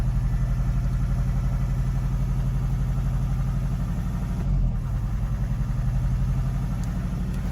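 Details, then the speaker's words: Mazda 6, no fault codes, both EGR valves confirmed closed and exhaust ruled out: diesel runs with a heavy, uneven, wavering throb, smoking, about 1500 rpm; fault judged not EGR- or exhaust-related, cause still unknown. "Okay, she started, she ran. I did see a load of smoke. Running."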